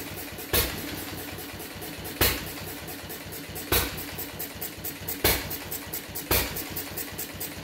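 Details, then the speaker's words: Fuller and Johnson hit-and-miss engine on first run after cleanup, battery and 6-volt coil box, started with a little choke: sharp bangs every 1–1.5 seconds, uneven gaps, coasting between; rough running, owner suspects too rich, plans checking mixer and RPM. "That's all for today. It seems like it's running awful rich. I'll see what I can do."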